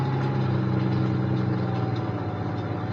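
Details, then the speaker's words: Semi truck: smooth, even, low idle hum with a steady tone and no knocks, misses or rattles; engine runs healthy. "let's see if this thing will run of course it [Music] will not only does it run it runs very [Music] well"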